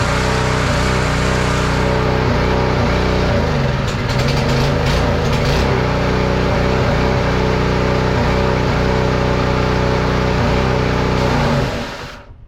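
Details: Simpson pressure washer small single-cylinder engine after carburetor, fuel line and spark plug replacement: fires and holds steady even beat, pump building pressure, then shuts off; normal running.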